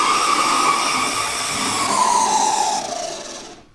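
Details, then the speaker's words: Oxford Rail Class 415 Adams Radial 4-4-2T model locomotive, second-hand, before servicing, run at full speed: loud, high steady whine with hiss, easing as it slows; very noisy motor, owner suspects it needs lubrication. "It runs quite quick. But it's very noisy."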